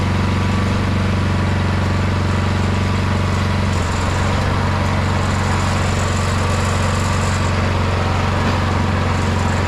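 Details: 22-inch MTD Yard Machine snowblower, owner thinks 5 hp 179 cc, after the carburetor main jet was drilled out to cure surging: the single-cylinder holds a steady, even idle with no hunting, with a brief dip near four seconds, otherwise smooth.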